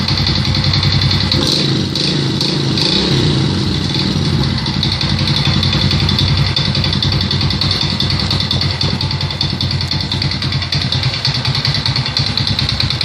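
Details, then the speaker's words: Alfa 110 moped after a crankshaft replacement: steady idle with an uneven knocking a few times a second over the exhaust note. An engine knock, cause unknown. "Заводим, поменял коленвал. Стуки. Что за стук?"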